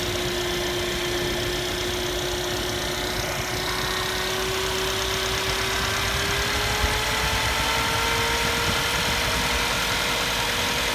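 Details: Mercedes-Benz C180 CGI W205 idling: thin steady electrical whine around 350–500 Hz from the front of the engine, traced to the alternator, not mechanical; alternator charging only about 12.06 V, failed rectifier diodes.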